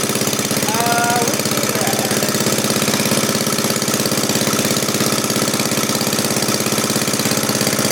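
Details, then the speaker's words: 1939 Onan DC generator, donated and being repaired, clamped to the bench for a first test run with fresh oil and gas. Even, steady beat at constant speed with no misses or knocks: normal running. "Yeah. That's good. That sounds good, Mike. We're all clamped down to the bench, so it should be pretty good."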